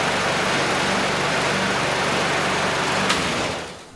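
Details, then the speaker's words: Curbside Craftsman mower 917.376655, Briggs Quantum 122T02 engine, after lowering the lift so fuel reaches the carb. Steady, even buzz holding one speed with no misses or surging, then winding down. Runs normally. "Beautiful. Okay, good. So the carb is running the engine pretty well."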